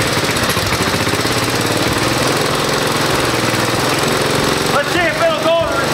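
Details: Single-cylinder engine in the drivetrain donor for a 1969 Roof Palomino lawn mower Jeep project, started with the choke on and the compression release engaged; catches and settles into a steady, even run with no knocks or misses; normal.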